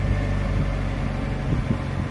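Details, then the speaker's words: Car engine just started from cold, in neutral, key turned through the ignition stages: smooth, even low hum settling into idle with no ticking, knocking or whine; normal running. "and as you can hear the engine is now running as if it needed any further"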